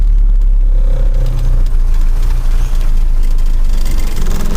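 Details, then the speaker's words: Cold 1985 Mazda ute carburettor engine after new points and condenser, after two weeks unstarted: deep, slightly uneven idle with some lope. Points possibly out of adjustment; owner also suspects a semi-blocked carb idle circuit. "We'll see if we can get it running a little bit better than that. Because it's not too bad, but it's not too crash hot either."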